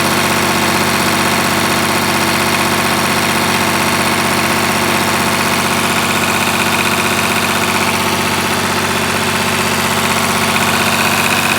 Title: EH700T exhaust leak